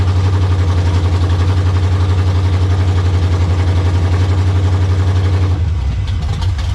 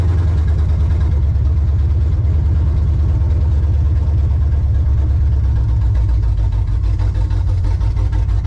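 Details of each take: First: Monte Carlo, slightly warm, after swapping carburetor and distributor from a parts car to fix a long-crank start problem: steady, even low idle with no misses or knocks, starting readily; carburetor not yet tuned. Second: Chevrolet Monte Carlo with a starting issue. Loud, deep idle with an uneven chuffing pulse and stumbles, spitting and sputtering; the owner is unsure whether it gets too much or too little fuel. Engine sputtering.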